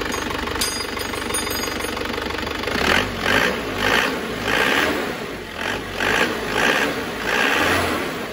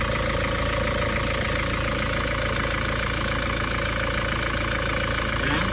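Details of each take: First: Isuzu Panther diesel, restarted after the injection pump timing, found too retarded, was advanced; harsh rattling knock surging when revved, and the timing is now judged slightly too advanced; pump fuel delivery also found too low. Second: Isuzu Panther diesel after repair: smoke problem cured, and an injection pump solenoid losing current from broken engine wiring (engine died when revved) was fixed; steady, even idle clatter with no misses or knocks; smooth, normal idle.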